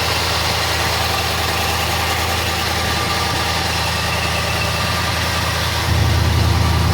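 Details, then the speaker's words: Engine in the owner's XD at idle: steady, even and quiet with a soft regular beat and no knocks, ticks or misses. A compression test about 5 years ago showed the two rear cylinders low, which the owner thinks would improve hot. Normal idle. "Yeah, you should have recognised when I started it, but listen to that. There's not a sound. This is why I won't take it out."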